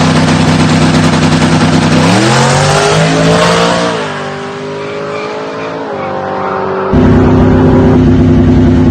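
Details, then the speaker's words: Mustang with a big camshaft on E85 fuel and a manual gearbox with no tachometer, shifted by ear: pulls hard through the gears, pitch climbing then dropping at each shift, slightly choppy at the top of each gear; typical behaviour, not breaking up. "it's probably just getting choppy that's not breaking up that's just you're gonna have to get used to e85 and a big camshaft that's just what they do"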